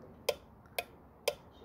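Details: 2000 Ford F-350 with the 6.8 V10 gasoline engine and a fuel-pressure no-start: a five-pin relay on a relay tester gives three crisp, evenly spaced clicks about half a second apart. It switches cleanly and passes.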